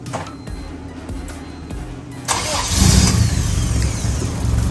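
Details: 1999 Honda Civic EK coupe with B20 VTEC swap, after a new MAP sensor pigtail to fix fuel cut: brief quiet, then cranks and catches cleanly into steady running.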